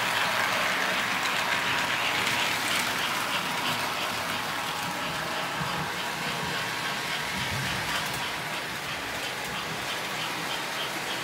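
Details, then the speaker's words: American Flyer 342 switcher locomotive after full teardown and cleanup, run from very low power upward; even whirring motor with light rhythmic track clicking, running smoothly. "Here we go. Very low power. Ramp it up a little more here. Off she goes."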